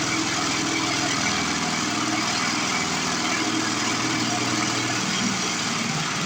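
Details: Older 22-inch Murray push mower, 3.5 hp Briggs, with a new blade someone fitted trying to fix it. The small single-cylinder engine runs with a harsh, rattly buzz and shaking clatter from a bent crankshaft, confirmed bent.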